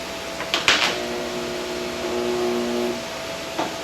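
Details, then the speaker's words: Tite-Spot spot welder on cleaned metal, power turned down and preheat timer turned up: clean steady electrical hum about two seconds after clamp snaps shut, no crackle or spitting, a good weld. "And that's what a good weld should look like, and that's what it should sound like."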